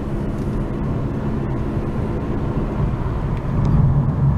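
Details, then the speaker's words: Dodge Avenger at 25 mph after replacing a hub assembly: steady low road rumble with no growl or hum building with speed; normal wheel hub, road noise only. "Going 25 miles an hour and no noise, only just the road noise, no bad wheel hub sound."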